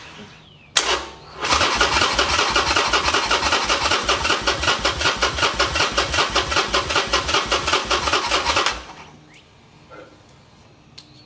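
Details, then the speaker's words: Reassembled Harley-Davidson Sportster, tried with more fuel: even starter cranking for seven seconds, never firing. Owner first suspects the battery; it was later found to be a fuel issue. "boy is not starting well now my battery's going out again so that is a bummer"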